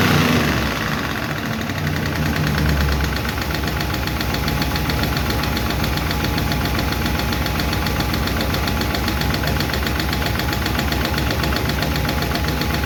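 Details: 1951 Chevy engine at idle after first fire-up and valve adjustment: light, fast clatter over steady idle; number 4 intake and number 2 exhaust still clickety, number 2 seems okay; valve lifter tick, owner plans to re-adjust those two.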